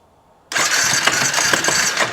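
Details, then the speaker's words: 2016 Honda CBR 300R being checked for charging problem, new battery fitted: engine catches and runs rough with heavy, uneven knocking thuds and flopping through the clatter; connecting rod knock, broken rod from low oil suspected. "I'm going to chalk this one up to low oil blown up motor sounds like a Rod's broke I can hear it kind of flopping around in there"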